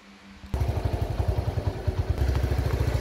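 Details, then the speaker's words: Original 1978 Honda Cub 70cc engine, kick-started after refuelling with no throttle: catches quickly and settles into a soft, even putter with steady beats, no knocks and no valve/cam tick; very smooth, strong, healthy idle. "Các bạn nghe cục máy rất là êm nha. Cục máy cực kỳ êm luôn nha các bạn. Đầu cam cò không kêu nha."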